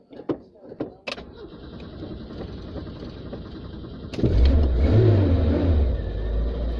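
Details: Dacia car with new distributor cap and rotor arm, electrics recently playing up, reluctant to restart after stopping: a few clunks, then a long weak crank before it finally catches and settles into a rough idle; cause not confirmed.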